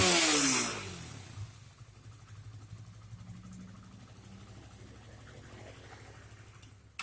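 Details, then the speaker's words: Honda CBR motorcycle that stalls and stumbles while riding, especially in rain, and won't accelerate; after a sharp blip the engine drops to a weak, uneven idle that stumbles and fades; misfire from a rusty, dirty, moldy leaking spark plug cap. "Saat hujan, sepeda motor sering kali tiba-tiba mati seperti itu lalu hidup kembali; Mesinnya menyala kembali saat diengkol."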